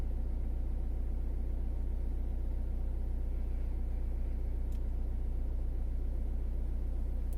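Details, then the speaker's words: Citroen C4 Grand Picasso 1.6 HDi turbo diesel, about 89,930 miles, just started cold, heard from inside the cabin: steady low idle with even, fast clatter and no odd knocks or misses, app reading about 56 dB; normal cold diesel idle. "So about 56 decibels that is showing."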